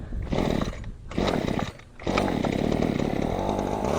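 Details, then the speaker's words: Champion 23cc string trimmer with no choke, started on hand-primed fuel: revs up right away then cuts out in uneven spurts and dies; cracked base plate noted. "But listen, it revs up right away. And there goes the die. That's amazing."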